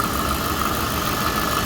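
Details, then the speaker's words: Corvette drift car, just started after fitting a new starter, warming up with about 50 psi oil pressure at idle: smooth, even V8 idle with a steady low rumble, no knocking or misfire; running fine. "Sounds like it's running fine back here."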